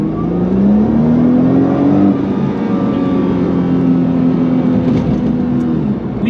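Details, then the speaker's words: 2012 Nissan GT-R twin-turbo, stock, 127,000 miles, race mode, downshift then full throttle with exhaust audible: strong clean pull with a steady rising engine note, no knocks or rattles; healthy full-throttle acceleration. "okay so you'll hear the exhaust here i'll go ahead and gun it"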